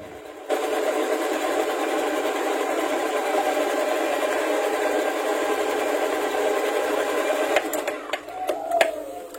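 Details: Honda Scoopy whose starter only clicked at the battery, after cleaning the battery cable connector terminals: smooth even starter whir for about seven seconds without hesitation or clatter; starter working normally.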